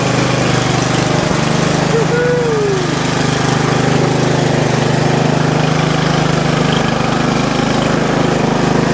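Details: Bolens riding mower small engine started with choke after valve cover regasket and battery charge: catches and holds steady even idle with constant low hum, no hunting or misfire; runs fine.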